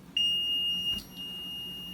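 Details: Maytag Neptune front-loader washer: steady high electronic beeping on its own with no button pressed and no stuck button found, machine often won't start; continuous error beeping, control panel suspected bad.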